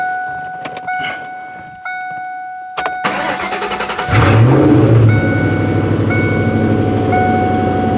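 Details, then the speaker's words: 1998 Ford Mustang GT, about 132k miles, PI heads, FRPP shorty headers, cold start after sitting: engine catches and settles into a fast idle with light, regular tapping; exhaust header leak. "you get a little bit of an exhaust smell on startup but i think that's that's just the header leak kind of here tapping tapping"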